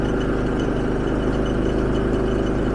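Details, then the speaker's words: Generator at full speed charging a Hyundai Ioniq 5 via level 1 charger (about 1.2 kW, 122 V); flipping Eco setting makes no difference, load keeps RPM up: steady even drone, no hunting or dip, running normally under load. "nothing happened nope there is no difference so evidently um it's pulling enough load that it's rendering the Eco settings not usable so it does need to pull that much RPMs to be able to charge this car"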